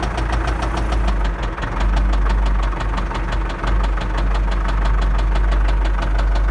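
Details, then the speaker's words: MTZ tractor diesel engine: a deep, heavy knock about three times a second from low in the block that appeared while driving, about 20 km. Teardown found worn, failed crankshaft main bearing shells, close to seizing; main bearing knock. "вот она вся причина стука которые было двигателя"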